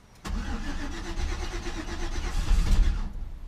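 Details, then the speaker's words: Classic Chevy C10 pickup truck, sitting about five years, previously parked for engine knock: catches about three seconds on starting fluid down the carburetor, uneven and lumpy, then dies; sounded a little weird but no knocking heard yet. "I'm gonna go squirt a little more fluid down the throat we're on the right path though and it did sound a little weird but I didn't hear any knocking yet"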